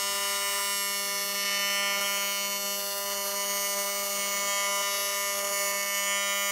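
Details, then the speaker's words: AC TIG welding to build up a water jacket wall, machine thought to go to 300, with the faster arc more ear-piercing: steady, harsh buzz with a sizzling hiss on top, even throughout. Normal AC TIG arc buzz. "So the faster the art you know it's a little more earpiercing yeah disgusting do you want some earplugs"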